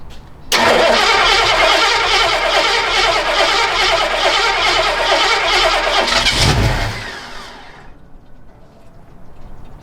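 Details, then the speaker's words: 1960s Ford Galaxie project with push-button start, after pumping up oil pressure: catches and runs rough on the starter about six seconds, dies the moment the button is released; coil fed only by exciter wire from solenoid. "It just got oil pressure and you heard it start to start. And that's because there actually is an exciter wire running to the coil from the solenoid. So that's why it tried to start. But as soon as I stopped pushing the start button, it died."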